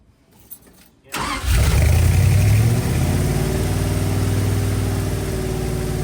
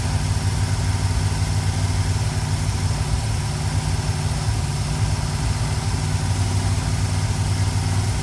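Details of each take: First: 1965 Dodge A100 van revived after years sitting, fresh four-barrel intake, distributor and wires fitted after earlier backfire: cranks briefly, catches and settles into low, slightly uneven idle; runs a little off-tune, timing noted as a little off. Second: 1965 Dodge A100 van V8 revived after years sitting: deep, steady, even idle rumble sounding healthy, no oil leaks; possible vacuum leak under plate suspected.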